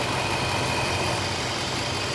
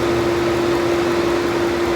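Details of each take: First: Infiniti FX engine idling after replacing the howling passenger-side fan module: steady, even idle with soft low rumble and gentle fan hiss, the vacuum-cleaner-like howl gone. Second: Infiniti FX engine bay right after start-up with the old passenger-side radiator fan control module refitted: loud steady vacuum-cleaner/jet howl over rushing air; faulty module, howl gone after replacement.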